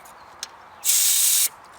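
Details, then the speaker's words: BMW E46 M3 with a slow AC leak, condenser and receiver drier already replaced, last regassed six months ago: a sharp half-second hiss when the service port valve is pressed; refrigerant still in the system, compressor runs. "so it does seem to be some gas in the system the last time I had to re-gassed was about six months ago yeah you can hear the gas"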